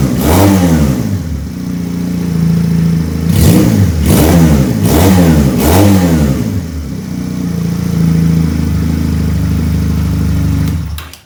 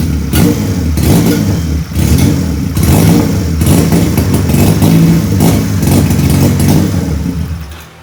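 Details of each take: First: Benelli PE 250 FI fitted with a Suzuki Futura MAP sensor in place of its faulty one: steady, even idle with four clean, quick throttle blips rising and falling smoothly, then settling to stable idle; running healthy. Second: Benelli PE 250 FI single-cylinder on its original MAP sensor: runs rough and uneven, irregular pulsing and stumbling instead of a steady beat; original MAP sensor confirmed faulty/error, replaced with a Suzuki Futura MAP sensor.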